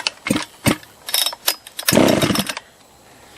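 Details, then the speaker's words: Husqvarna 281/288 chainsaw on its first pulls during revival, carburetor empty. A few sharp pulls and pops, then a brief ragged burst that dies at once. Fires briefly and dies from fuel starvation. "First pull. First pull. That was choke out. I guess we can go choke in. The carb was empty."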